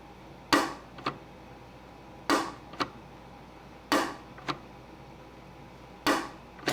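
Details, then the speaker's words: Ironhead Sportster XLCH show bike clutch, released with the primary cover cut away: a sharp snap then a second click half a second later. The release ramp ball pops back into the detent instead of riding up the ramp, hitching. "okay here's the uh releasing ramp that's causing the problem and and uh what's nice about this is I could duplicate it outside the bike look what happens this ball right here wants to pop back down into the detent instead of right up along the ramp"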